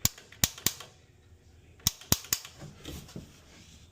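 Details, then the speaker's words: AO Smith residential gas water heater after replacing the faulty gas control valve without draining, set to pilot: two quick bursts of three sharp dry igniter clicks, pilot relights normally. "Set that bad boy to pilot. There we go. Okay. If you listen carefully, you'll hear it relight."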